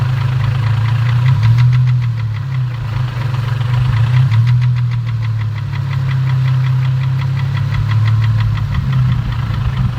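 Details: 2004 Infiniti G35 with rough idle: uneven idle with a sharp tapping knock about four times a second over a low engine drone, from deep in the engine; rod knock suspected, not confirmed.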